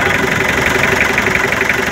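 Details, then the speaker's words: Mitsubishi L300 engine idling, with a distinct regular chuffing pulse over the clatter that grows louder with the cap off, and white smoke from the dipstick tube; crankcase blow-by, suspected from piston rings, piston or liner. "Ya, kenapa saat tutupnya ditutup dan tutupnya dibuka beda suaranya? Nah, beda enggak? Lebih kencang."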